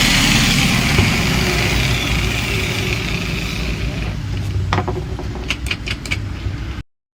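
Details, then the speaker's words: Angle grinder that had been noisy, run after being repaired using only a screwdriver: an even, high whir that holds steady, then winds down, with no grinding or rattle. The repair is complete and it runs smoothly. "ये देखिए अब मैं आपको चला दया बड़े smooth में चल रहा है देखिए आवाज सुना आवाज भी आपको मैं सुना देता हूं"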